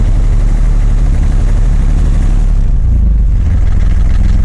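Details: Yanmar F16D compact tractor (1983–86), 1.0 L three-cylinder 20 hp diesel: deep, steady clatter at an even idle with no misses or knocks; runs really good.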